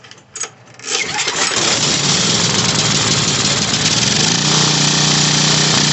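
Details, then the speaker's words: Briggs & Stratton 5550/8550 generator, model 030235, after carburetor repair and oil change, on the bench without air filter: a few pulls, then it catches and runs steadily with no misses or knocks; normal start and run. "Alright, she'll fire right up and run."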